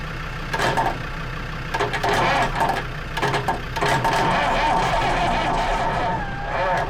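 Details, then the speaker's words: Lansing Bagnall Model A tug, Perkins P4 diesel in poor shape, long sat, cold start: steady cranking with scattered uneven firing bursts, bumps and squeaks, struggling to catch just before it starts. The owner suspects insufficient heat. "there she's trying guys she's trying there's lots of bumps and squeaks coming out of her"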